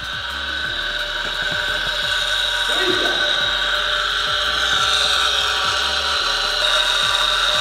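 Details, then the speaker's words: BMW E92 M3 rebuilt after crash, about 89,000 miles, ignition on, engine off: steady high hum with soft ticking about four times a second, the electric coolant pump running normally. "why that it's just a cool pump don't worry about it"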